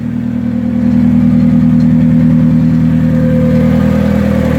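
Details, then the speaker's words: Turbocharged Hyundai Tiburon with limited-slip diff, first drive in first gear at about 5 mph after warm-up, engine freshly reassembled and long unstarted; smooth, even low hum, no knocks or clunks, sounds healthy, though fuel pressure still needs setting to about 43 psi base. "car sounds good. Good old LSD. Yeah, buddy. Everything sounds good."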